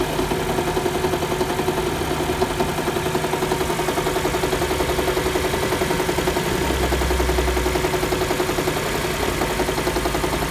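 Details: Toyota RAV4 Hybrid, cold idle: a steady light knock near three per second over the engine hum; the owner hears it around the engine or gearbox, source unclear.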